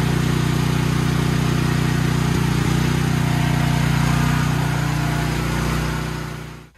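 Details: Troy-Bilt XP 7000-watt generator with Briggs & Stratton 21 hp 420cc single-cylinder, stored outdoors: smooth, even drone at steady speed, then clean shutdown; engine healthy, though power output later failed, traced to a failed AVR, later replaced.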